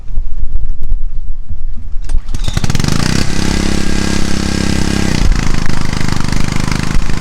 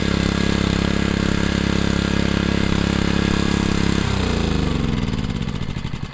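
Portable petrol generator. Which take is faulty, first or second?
second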